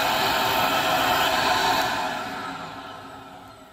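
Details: PulseRam self-cleaning vacuum for tile and flooring removal, with sound-deadening chamber in head shroud; smooth even airy motor rush, no rattles or surging, tapering off at the end: healthy normal running.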